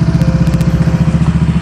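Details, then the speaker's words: Scooter CVT after cleaning built-up debris from the clutch area: even, quick putter about fourteen pulses a second at idle, no klotok-klotok clunking heard before; normal smooth idle after cleaning. "jauh suara tuh jauh lebih halus dada seorang klotok-klotok dari sebelumnya Jadi sebelumnya aja kalau dia ideal itu ada suara klotok-klotok nya tapi sekarang suaranya jauh halus ya"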